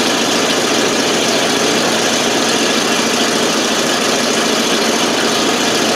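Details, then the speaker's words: 1988 FMC 6000 with 5-speed, hard start because the carb was not getting fuel, started with starting fluid: now holds a steady, even idle on its own with a coarse exhaust rasp, no stumbling or dying. "Now it's running all by itself."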